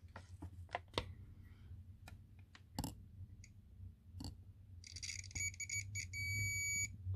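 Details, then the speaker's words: SX fretless bass with noise traced to poor bridge-to-earth connection: handling clicks then steady multimeter continuity beep about two seconds; continuity confirmed on the bridge ground lead. "you can see there is continuity there but it just wasn't"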